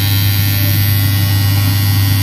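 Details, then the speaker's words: Washing machine, newly installed buzzer sounding near the end of the timer as the pulse shutter still turns: loud steady low buzz without break or crackle; switches off automatically, working perfectly. "जैसे buzzer के time हो जाएगा timer का, अपने आप buzzer बंद, सब कुछ बंद, आवाज़ आ रही है। मतलब बिल्कुल सही परफेक्ट काम करने लगा है।"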